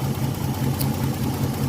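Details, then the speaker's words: Older Nissan Maxima at idle: uneven lumpy idle with a stumbling low thump breaking the rhythm; coil gets no signal from the ECU, and engine sound changes when the coil is pulsed directly with a tester, pointing to a failed ECU ignition driver. "तो जैसे की आप देख सकते हैं 30 में ही second और कोई सिग्नल नहीं ए रहा है इंजन इट से"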